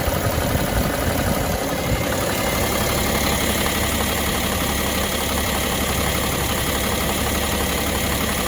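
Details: BMW X5 E70 M57 diesel at original 235,000 km, before chain replacement: idle with a busy metallic rattle over the clatter at the engine front; diagnosed stretched timing chain.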